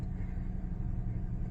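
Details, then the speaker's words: 2011 Ford Crown Victoria LX started on first turnover after sitting two to three weeks in a dirt driveway; low, even rumble with no knocks or misses, a steady warm-up idle that begins idling down: normal idle. "and just like that she started up on first turnover"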